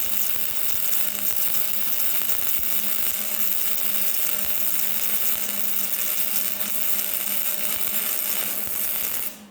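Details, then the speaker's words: Flux-core wire weld on heavier steel plate, the job flux core is designed for: even, steady frying hiss with no pops or breaks until it stops, a good smooth weld, unlike the sputtering arc on thin sheet. "And that is a flux core weld on heavier steel. Bring it off there. That's a pretty good weld."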